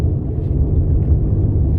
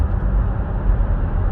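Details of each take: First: 2017 Buick Enclave with 130,000 km, both front wheel bearings previously replaced, on a road test. A steady low hum from the rear at 55–60 km/h on a snow-covered road, so not tires; it seems to come from the rear, suspected rear wheel bearing. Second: 2017 Buick Enclave, 130,000 km, after rear wheel bearing replacement for a rear hum at cruising speeds: only a steady low road rumble while cruising, no hum and no warning lights; normal quiet cruise.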